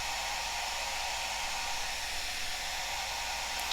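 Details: Cascade DS-925 hair dryer after repairing no-heat fault by crimping a broken connection, tested on low: steady even rush of air over smooth fan hum, no cutting out, rattle or surging; runs normally, now heating.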